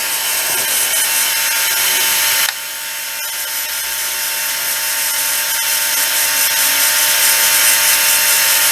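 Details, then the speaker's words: Peleng 1240GS gyro-stabilized binoculars, brushed gyro motor at 12 V, settled near 4 W and 300 mA at about 18,200 rpm: thin, steady high whir, loud, no wobble or rubbing; running healthy. "I suspected it to be an universal motor, which it isn't. It's a brushed motor. Maybe that explains why it's so loud."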